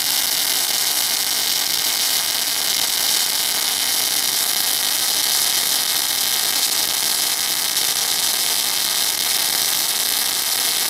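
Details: MIG (semi-automatic) welding a continuous 10 mm fillet weld: steady, even sizzling hiss with no pops or breaks; arc running smoothly on good settings.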